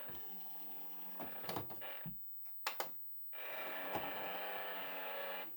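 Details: SureFeed Microchip Pet Feeder: a couple of seconds of small motor whirr, then clicks as the lid shuts; abnormal noise when lid closes, cause unknown.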